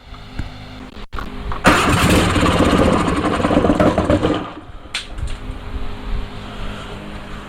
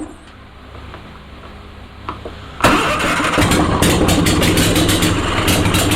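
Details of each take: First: Onan Performer 20 hp engine: cranks, catches a couple of seconds with rough burst and dies; won't keep running, owner unsure of choke system, a wire came off. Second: Onan Performer 20 hp twin, on bench after reattaching loose coil/battery wire: quiet, then fires and picks up to steady, fast, slightly lumpy beat; engine runs.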